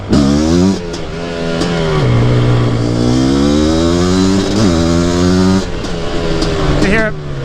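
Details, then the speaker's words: Mostly stock Suzuki QuadZilla LT500R two-stroke after rejetting (PWK-style carb), warmed up, first ride; deep tone revving through gears, breaks up slightly near top rpm, suspected still a little rich though it pulls well: misfire at high rpm. "breaking up a little bit up top i think it's still maybe just a little bit rich but it pulls pretty good nice deep tone"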